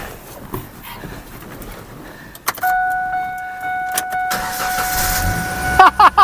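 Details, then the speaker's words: 1998 Ford Ranger after a new Walker cat-back exhaust replaced the blown-out one and the catalytic converter heat shield was secured with vice grips. Brief crank, then a quiet, even idle with no squeaking, rasp or rattle: normal start. "Sounds like a normal uh Ranger now. Man, listen to that. No squeaking, no nothing."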